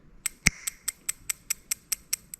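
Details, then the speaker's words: Ignition coil 1 on an ECUMaster Black ECU output test, coil pulled up and resting on the plug: crisp, even ticks about five per second, eleven in a row, over a quiet background; no clicks once it is unplugged, so it is firing normally. "can definitely hear that's working there, so that's nice and loud."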